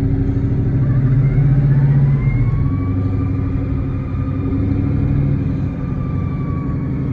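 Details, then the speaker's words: Car with a 10R80 transmission and 3.73 rear gear, under way: a thin whine under the engine rumble that rises and falls with road speed, only when moving forward and not in reverse; owner says it is not the power steering. "it only does it going forward does it backing up nothing you hear it whining"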